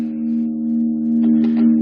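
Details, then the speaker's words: Mid-80s Peavey Backstage Plus 35 W guitar amp after cleaning pots with contact cleaner, played with 1988 Washburn: steady note with short crackly bursts as knob turns; pot still slightly scratchy, better than before, may need more cleaning. "a little bit of scratchiness there I may have to hit it again it's definitely better than it was"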